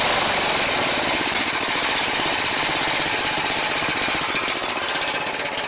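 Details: Ariens Classic 824 two-stage snow blower (model 924550), hand-started on choke after an ultrasonic carb clean: rapid, even putter with a bright clattery edge, steady pace, nothing missing; runs smoothly.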